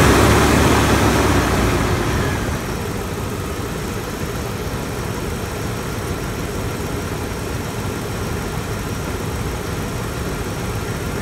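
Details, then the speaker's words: 2004 Dodge Ram 1500 idling after replacing a seized, noisy alternator, the idler pulleys and the belt tensioner: after a brief louder burst it settles into an even, steady idle with no squeal; possible air leak suspected, charging at 14.48 V. "See, it sounds a lot better. Still sounds like I might have an air leak somewhere, but overall it sounds much better."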